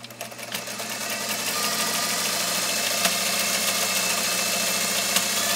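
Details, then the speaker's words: American Beauty sewing machine sewing one of its 76 decorative stitches, needle at left position; fast even whirring stitch rhythm with soft clicking of the cams at the back of the machine, no knocks or grinding; runs well, normal. "okay well it sure runs well doesn't it and you will hear periodically when the machine is running uh or you may be able to hear it you'll actually hear those cams with us just a soft clicking sound as they're going back and forth in the back of the machine"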